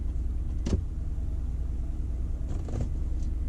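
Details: 2003 Lincoln Town Car V8, 52k miles, sat two years: low, steady rumble with even beat at idle, no knocks or misses; idling smoothly.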